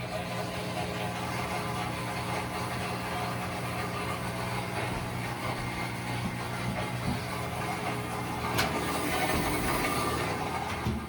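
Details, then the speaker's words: Whirlpool-built top-load washer constantly humming as soon as it is plugged in: steady low electrical hum of the drain pump running continuously, attributed to a faulty control board or fill/water-level sensor; fixed by replacing the control board. "All right, today I'm going to show you how to diagnose and repair this issue if your washer is just constantly humming. The humming you're hearing is the pump."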